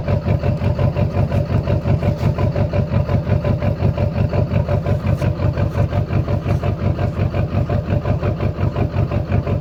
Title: Lly misfiring